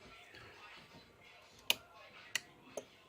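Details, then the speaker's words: 12 V UPS breadboard prototype, relay running from a 4700 µF capacitor rail without its anti-bleed-back diode: three sharp relay clicks, release lagging after switch-off as the capacitor holds the coil in; the diode prevents this. "And you can hear when that runs, when I turn the switch off, the relay has a slight delay, which for my purposes would be a problem."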